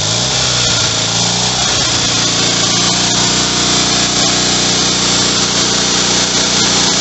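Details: Rebuilt Kohler Magnum M18 single from a Cub Cadet 1882 on a test stand: fires right up, runs steady and even with hard, buzzy exhaust, no knocks or misses; healthy.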